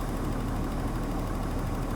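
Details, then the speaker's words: Daimler XJ40, ice cold, restarted after a test that reproduced the highway stall. A slight odd sound at start, then a steady, even low rumble with no misses. It idles smoothly and runs well. "it's running pretty nice and smoothly still ice cold but it's running pretty well"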